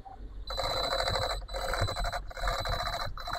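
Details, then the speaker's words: MJX Hypergo 14304 VW Polo RC car, brushless ESC, trying to climb an obstacle slowly: shrill, ringing high-pitched bursts as the motor strains and stalls under load; owner suspects cogging from the ESC/motor at low speed. "Il fait un peu de bruit. On va vérifier, les gars, ce qui l'empêche de monter ou ce qui fait du bruit. Je pense que c'est comme du calage."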